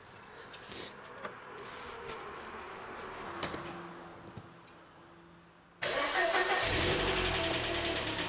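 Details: Engine idling right after an oil change with almost 4 litres of fresh oil, level mid-dipstick: starter whirs briefly, engine catches and settles into a steady even idle; the earlier slight tick went away.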